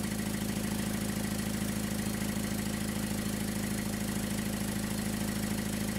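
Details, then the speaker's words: Car at idle with exhaust leaking through many holes at the muffler junction, before sealing with J-B Weld ExtremeHeat paste: loud even puffing about three pulses a second, rasping from under the car. "this car has a loud exhaust leak"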